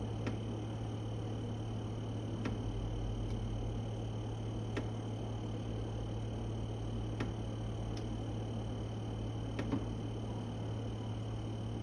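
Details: New Electrolux fridge: loud steady low mains-pitch compressor hum, audible from the next room, with a sharp tick every couple of seconds; maker's after-sales says normal compressor sound, owner considers it faulty.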